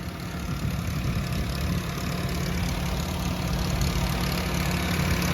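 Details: Nissan GA14DNE engine at idle: low idle thrum with an uneven light rattle ticking about three times a second; source not yet found, owner wants to replace the head gasket.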